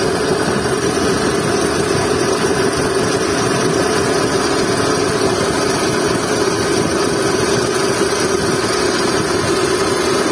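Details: Skoda Fabia idling with a constant mid-pitched whirring hum and no squeal, from a worn drive belt and tensioner bearing.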